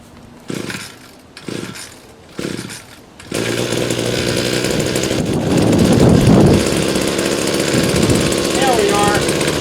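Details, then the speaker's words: Two-stroke Badger weed trimmer on a mild late-October day (about 65°F) with a little fresh fuel: three pull-start tries, then it catches and settles into a steady, buzzy, normal run. "all right she's running and I'm gonna go weed whack"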